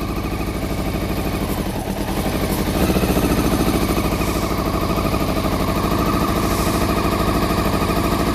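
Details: Honda CBR400RR NC23 four-cylinder, just started on petrol poured down the fuel pipe plus carb spray, water leak: lumpy, uneven, stumbling idle, firing only on cylinders one and two; three and four stone cold, not firing. Cause not confirmed.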